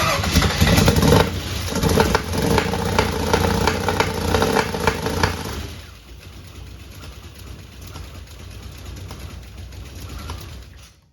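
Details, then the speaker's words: 1961 Chevrolet Impala with fuel injection, first crank test: uneven stumbling firing bursts on the starter for about six seconds, never catching cleanly, then dies; pump and fuel working, misfiring suspected from ignition timing, possibly valves not adjusted right. "that is definitely timing that is definitely a timing problem that could be could also be not having the valves adjusted right"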